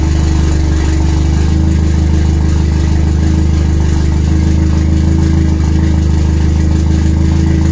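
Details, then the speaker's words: RWD turbo Nissan Micra with K10 conversion, first start after fixing a failed injector O-ring fuel leak; low, lumpy, uneven tractor-like chug; rough first-start idle, cause not pinned down. "this thing sounds like a tractor those it's got those silences"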